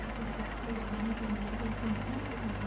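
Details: Electric fan, motor bearings noisy since new: steady hum with a rough, wavering rasp at constant speed. Oil through drilled holes quieted it only briefly; the motor bearing is worn and dry.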